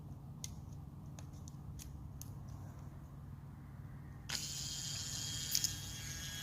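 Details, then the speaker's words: Original AC Delco G-body power window motor bench-tested, a few light clicks then a smooth, even whir with no grinding or binding, quiet and normal. "working like it's supposed to quiet and everything so the whole time it was just this Ry motor"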